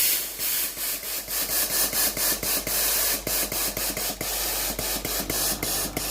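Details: Philips PSG7014 steam-generator iron after its failed water pump was replaced (the customer's complaint was no steam): quick rhythmic pump clicking, about four a second, with bursts of hissing steam. The pump now feeds the boiler from the tank, and steam output is normal.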